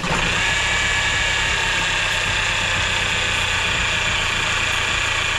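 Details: Range Rover Evoque idling with the engine cover off: steady idle with a rough, chattering rattle and thin whirring tone up top; possibly worn accessory belt tensioner and pulley, though owner also suspects timing chain or water pump.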